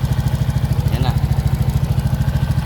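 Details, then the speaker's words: Single-cylinder kick-start motorcycle after rebuild with new original block set despite damaged crankshaft and conrod, in break-in period so revs kept low: even steady thump at slightly high idle, no rattle anymore; normal idle. "At hindi po pwedeng mapasobra. Tahimik na yung makina. Wala na yung kalansing"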